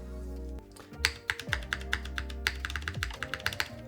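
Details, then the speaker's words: KBDFans TOFU TKL with Cherry MX2A Black switches, gasket mount, case rescrewed: sharp typing clacks with a hollow internal knock still present; owner now suspects the plate hits the bottom case rather than the top, unconfirmed. "No, I still hear it. So, unless it's not actually hitting the top, oh, it might be hitting the bottom. Hold on. I think that's what it is."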